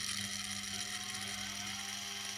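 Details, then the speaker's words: Washing machine motor on TDA1085c speed controller for a grindstone, low speed; high even whir with fine ticking from brushes rotating against their direction. "the clicking noise you can hear there is the brushes if we're rotating against the direction brushes are in like this"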